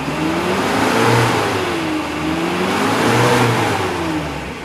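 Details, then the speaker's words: Used 2008 Suzuki Carry Futura 1.5 pickup, free revs toward 3000–4000 rpm while checking exhaust smoke: two smooth blips, revs rising and falling cleanly, no rattles, knocks or hesitation; engine still smooth, no sign it needs an overhaul. "nah ini untuk mesinnya suaranya masih halus enggak ada suara indikasi dia mesin harus turun mesin"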